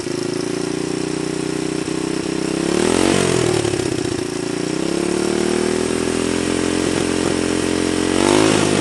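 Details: Honda 125 XLS motorcycle: small single thumps, then revs climb near three and eight seconds with an uneven mechanical clatter on top; cause not identifiable.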